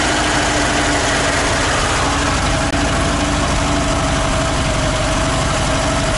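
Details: ZAZ-968M started after sitting idle, carburetor accelerator pump sticking, fuel pump just repaired: steady, even idle with a constant low drone and no misses or knocks; engine running normally.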